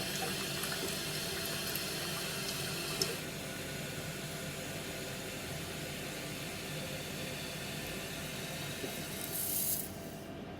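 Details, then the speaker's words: Toilet cistern inlet float valve after replacing the worn diaphragm washer (Siamp 34951309): soft steady rush of water with no earlier high-pitched squeal, then clean shut-off; valve working properly. "So now the water is, as you can hear, it's not as loud as earlier. Earlier it was like a high-pitched one. So the water's filling up as normal."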